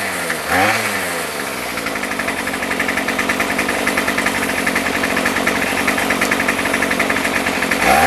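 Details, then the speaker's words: Remington pole saw after sitting a year, with rebuilt carb and new fuel lines, running with no head and no load; steady, even high-speed two-stroke buzz with no misses, possibly slightly rich, hard to judge without load. "it's hard to adjust the carburetor because there's no load on it I think it might be just a little bit on the rich side I'm not positive"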